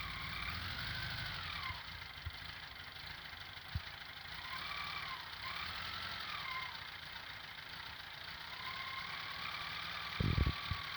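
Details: VW Beetle (Fusca) idling with a faint wavering whine rising and falling over the engine note, coming from a brand-new alternator; owner suspects its bearing. Whining noise.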